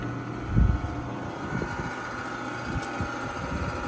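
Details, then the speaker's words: Frigidaire gas dryer picked up from the curb, started up; steady low motor hum with no drum rumble, drum not turning and turns freely by hand; broken drive belt. "button I hear the motor moving but the drum is not moving this is a broken belt yeah I'd say it's just maybe a broken belt"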